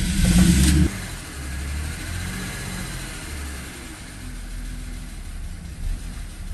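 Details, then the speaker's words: 2004 BMW 325xi first start after engine replacement following a blown head gasket; catches with a loud rev, then settles into steady even idle without misses or knocks; smoke from leftover coolant in catalytic converters. "got everything back hooked up underneath and actually had it running for a minute and i'll insert the clip of the first start right now it wants to"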